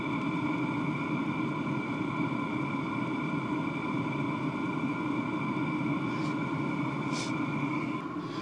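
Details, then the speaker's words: Cheap Chinese Webasto-type diesel heater running on red diesel at full load, drawing 40–60 W intermittently: steady even fan roar with constant hum, no surging or misfire puffs, running healthily at full output. "à pleine charge sur la Blue il me prend 60 par moment il prend pas tout le temps tu vois il prend 60 W 40 W ça [Musique] dépend"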